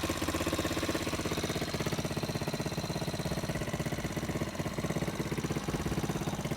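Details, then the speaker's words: 125 four-wheeler quad, newly acquired and possibly rebuilt, needing a little more work; steady, regular low thumping idle with even firing pulses and no knocks or misses, a healthy idle. "She sound good, don't she? Yeah, she sound good. I gotta do a little more work to it though, but she sound good though,"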